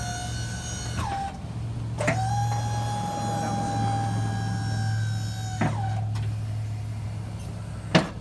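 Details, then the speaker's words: Boss V-blade snow plow just hooked to truck, raising blade: steady electric hydraulic pump whine at even pitch over low truck engine idle, stopping cleanly between runs; normal plow lift. "So at this point, you're basically ready to operate the plow. Go ahead and raise it."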